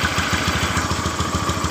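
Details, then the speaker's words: Honda Beat FI scooter with high fuel consumption, previously blamed on the injector; fuel pressure only 20 PSI and no stuttering. A fast, even idle with a heavy, lumpy beat; suspected running rich (too much fuel), not confirmed. "Perhatikan dan dengarkan di bagian dari tpnya ini terasa di bagian dari Kendal POnya ini terasa kayak motor memang kelebihan bensin atau bahan"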